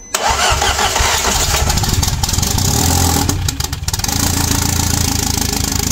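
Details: 1.8T 20V Audi A4 B7 fitted with a big turbo, external wastegate, boost pipes and new coils, first start after the battery terminals were tightened: starter cranks briefly, then a steady, even idle with no misfire or rattle; normal start.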